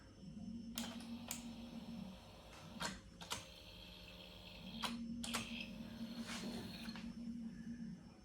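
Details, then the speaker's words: Sony TC-WR670 dual-cassette deck in for repair, switched on: left deck motor whirs briefly amid mechanism clicks, right does nothing, cassette door won't open and the main motor starts but the transport stalls; belts look weak. "Так, запускається основний двигун, але стоїть, чу"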